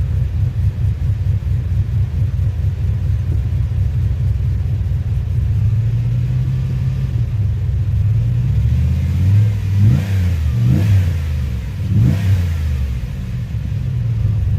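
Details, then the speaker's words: 2007 Pontiac Grand Prix GXP, cammed V8, after HP Tuners ECM DOD-delete tuning: deep, heavy idle with an uneven loping pulse and a couple of throttle blips; a healthy big-cam idle. "oh ah yeah that sounds just like just like the Nic open header exactly what I wanted for the sounds of this thing like shaking the whole damn hood"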